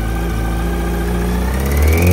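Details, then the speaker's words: 2004 Yamaha R1, 31,000 km, recorded outside: quiet at idle, faint rapid ticking rides on top only when revved; owner suspects tensioner, possibly bearing knock, not confirmed. "So you hear when it's idling it's not doing anything. It's only when you rev it up. You can hear it tiek."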